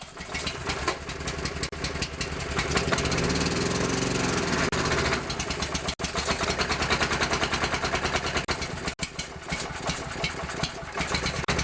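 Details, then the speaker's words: Older Honda EG4000 generator (G400 engine) that starts but won't keep running: uneven, surging small-engine beat with brief dropouts; keeps going with more choke, dies when the choke is let off; stalls without choke. "So when you choke it more, it wants to keep going, then you let the choke off and it dies."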